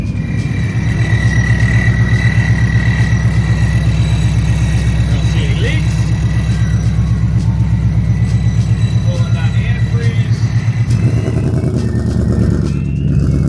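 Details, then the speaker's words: Coyote 5.0 Ford Mustang, first-ever start after supercharger kit install. Lumpy V8 idle with a clear, steady high-pitched supercharger whine on top; blower working normally. "hear that whine. I can hear that supercharger whine."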